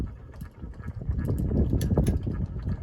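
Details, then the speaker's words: Emerson Casablanca Classic ceiling fan running slowly, with a shipping-damaged warped and bent blade: quiet, uneven soft knocking a few times per second as it turns, from the worn nylon blade arm bushing; owner considers rubber bushings. "of course that nylon bushing is still making that noise I guess it's normal for these fans to go kind of slow"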